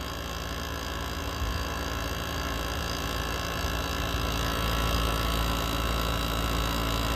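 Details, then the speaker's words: GE ASW05LKS1 air conditioner during clean and service, running at 163°F: heavy steady low drone with strained rough buzz; compressor overworked, possibly killed by heat waves and constant use. Labored compressor hum. "This thing is cooking. Listen to how unhappy that compressor is. This one should not sound like, so we're gonna give you a sound sample here."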